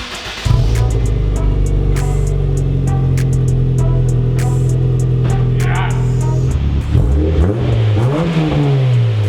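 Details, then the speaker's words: Turbo Honda Fit after fixing exhaust leak and fitting new exhaust with turn-down tip: catches and settles into smooth, deep, even idle, then a clean rev; slightly louder, no puffing or tapping. "That has been a huge success. I love the way the tip looks. I think it sounds a little bit louder, a little bit better in the car with the turn down."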